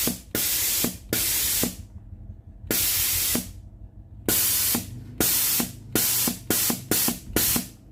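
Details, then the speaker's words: Philips GC9622 steam iron, solenoid water valve tested via a connected pipe: strong, forceful hissing steam bursts cutting on and off repeatedly; valve normal. "When the steam is out, I will press it to see the strength of the steam. If the machine is normal, the steam will exceed the length of the machine's steam pipe."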